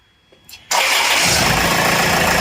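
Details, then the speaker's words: Land Rover Freelander engine restarted during belt/tensioner diagnosis: the starter catches and it settles into a steady, even idle with no squeal or chatter from the front. The engine sounds clean; the noise is traced to the belt and tensioner. "यह अब देखो। कोई आवाज नहीं है।"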